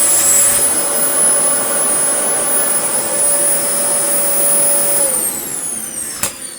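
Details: Dyson DC40 Mk1 upright with active base plate, brush roll reassembled and DC41 loom fitted: high steady motor whine winds down evenly with no brush bar slapping or rumble, so the brush roll isn't turning. Owner suspects the PCB, unconfirmed.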